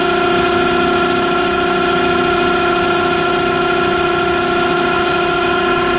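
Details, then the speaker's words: Smithy AutoMate CNC LT1440 lathe, 2 years old, about 800 spindle hours, before spindle replacement at 1800 rpm rising toward 2500, about 83 dB; steady high whine with several fixed tones rising in pitch; worn, rough spindle bearings. "And that's with the thing running at 1800 RPM. Let's speed it up, see if I can get up to 25. Not much difference in sound, just a higher pitch whine."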